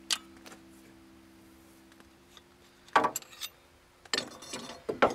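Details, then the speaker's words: Removed idler pulley from a Mercedes Sprinter 2.7L diesel, spun by hand: smooth hum with a steady low ring, bearings faintly audible but not bad, during idler and tensioner pulley replacement. "but um anyways here this one you could kind of hear the bearings but they're not bad"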